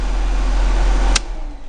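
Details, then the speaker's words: Mercedes-Benz W203 C320 at idle after replacing the faulty fuel pump that had caused power loss and stalling: a steady, even low rumble with no misses or knocks, then a clean shut-off; the fault is fixed. "takmakta ile beraber dönüyor ya pompanın sesini duydum Evet kolay budur"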